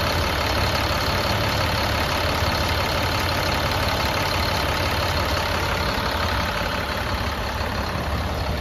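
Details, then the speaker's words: Caterpillar C7 diesel in Freightliner M2, check engine light, rough running, recently replaced injectors, no active codes: loud idle with a lumpy, uneven beat of about three pulses a second; rough idle, cause not yet found. "all right we got the engine running the engine is running pretty rough"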